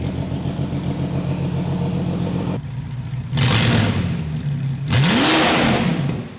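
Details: Abandoned VW Phaeton W12 with secondary catalytic converters removed, first start: deep raw idle roar jumping twice into sharp revs and falling back, "like a dinosaur"; very loud decatted exhaust.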